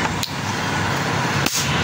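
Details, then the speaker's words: Pedestal fan capacitor (estimated at least 3.5 µF), removed from fan and wires shorted: two sharp, loud snaps a second apart over a steady hiss; strong cracks show the capacitor is holding charge. "इस तरह की इसकी आवाज आएगी। तो, इसका मतलब यह है कि जिस तरह का यह ब्लास्ट दे रहा है ना कम से कम यह 3.5 UF का कैपेसिटर मुझे लग रहा है।"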